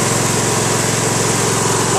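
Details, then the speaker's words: Craftsman LT1000 lawn tractor, 21 hp Briggs opposed twin, after governor adjustment: low idle with uneven, lumpy beat and vibration; owner suspects running on one cylinder, not confirmed; reported grinding, connecting rods claimed gone. "you know the engine does vibrate some so I am now thinking that it's not running on both cylinders"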